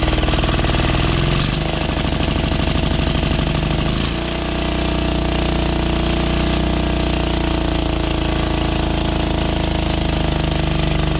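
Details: 12 HP air-cooled single-cylinder diesel, test run after overhaul; it had run once and then become hard to turn (owner suspected piston), valve clearance reset and oil added. Catches, picks up speed, then settles into an even chug without knocking or misses. Normal running.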